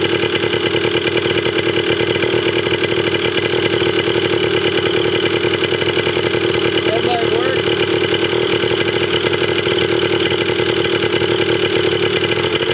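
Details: 1980 Yamaha DT/GT 125 Enduro two-stroke warming up after its first start with seemingly low compression. A steady, rapid popping idle stays even with no misses or knocks. It sounds healthy; the carb probably still needs cleaning.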